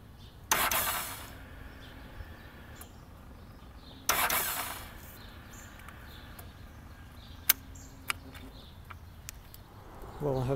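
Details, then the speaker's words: 2007 Ducati 1098 with new battery reading 11.7–12 V, before HICAP copper starter cable install: two short, sluggish starter bursts fade without catching; weak cranking from degraded starter cables, bike also stalled hot and failed to restart. "all right we're looking at a problem uh du 1098 starting issue the batter is at 11.7 uh although this is a new battery yeah it goes up to 12 sometimes but uh uh regardless this is what it sounds like when you're trying to start"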